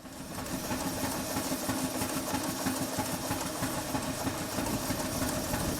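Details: Model live-steam traction engine, newly fitted injector, running in forward with advanced valve timing at only 30 psi boiler pressure: even, brisk chuffing at about three beats a second over a soft hiss, unlaboured. Running smoothly.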